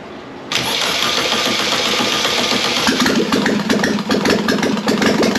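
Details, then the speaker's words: Air-cooled 1600cc VW Beetle engine tested for a 1974 VW bus: cranks, then catches into an uneven, hunting idle with ragged blips on throttle; it runs only on the accelerator pump, starved of fuel. "we did get some revs out of it it does sound like we're only running on the accelerator pump I give a little bit of throttle and that's what it"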